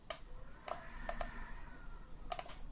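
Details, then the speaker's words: Microsoft Sculpt Ergonomic mouse after replacing the faulty left button switch: about seven crisp, sharp clicks, sometimes in quick pairs, in a quiet room; the button now clicks cleanly and works properly. "you don't see but believe me that now the button is working perfectly you can hear the clicks it was not before"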